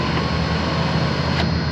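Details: Chrysler 300 after replacement power window motor fitted, door panel hanging, switch connector only: steady low electric hum, no grinding or clicking; motor runs smoothly, auto-up not working.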